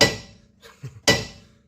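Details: 2012 Mazdaspeed 3 with metal-to-metal knocking over bumps, front sway bar rocked by hand. Two sharp metallic clunks point to worn sway bar bushings.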